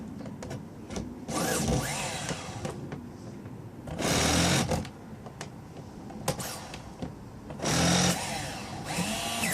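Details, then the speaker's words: Homemade 6-wheel nitro RC truck, converted from pull start to electric starter box, batteries drained: starter whirs in short bursts, engine spins but never fires. Fuel looks fine; owner suspects a dirty glow plug. "Kind of smell it trying to kick up, but ain't having it. Dirty glow plug maybe."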